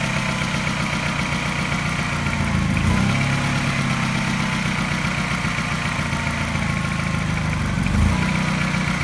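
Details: Mini N12 petrol engine, not quite cold but not warm, fast idle after new cat and O2 sensors: a regular light tap coinciding with a regular mild misfire, making the idle seem to pulse; cause unknown.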